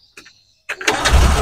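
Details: Espass 1.600cc car on CNG with a newly fitted low-pressure regulator, restarted after shutdown: a brief crank of barely a quarter second, then it catches straight away into a steady idle; starts easily.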